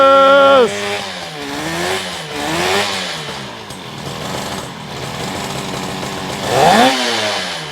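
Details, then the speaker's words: 1972 Yamaha LS2 100cc two-stroke twin, 784 miles, first start after carb clean on 6-volt system with auxiliary tank, no air box: crackly buzz rising and falling with throttle blips, catches and idles well, sounds good. "Yes, yes, yes, yes, yes, we did it. It's idling. Sounds pretty good."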